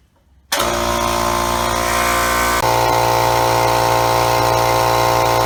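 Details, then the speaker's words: Craftsman 5-gallon compressor model 921.166360, after replacing the gaskets: kicks on and settles into a steady, even motor drone with no knocks or leaks; builds pressure normally. "you all right seen to pressurize real nice"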